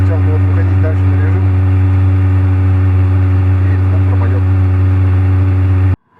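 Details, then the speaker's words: Motorhome (converted bus) heating stove at operating mode: resonance gone but loud steady low droning hum, no pulsing; stove still runs quite noisily, a 12 kW dry air heater is much quieter. "stove has reached the mode; there is no resonance anymore, but the stove still works quite noisily, apparently the fact that it is a 12 kW dry hair dryer works much quieter."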